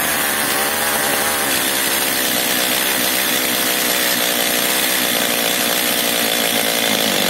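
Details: Stihl MS 230 chainsaw, first start on choke. Revs waver and hunt as if running out of fuel. Suspected carburetor problem or air leak; lean low-speed mixture, before the L screw is richened.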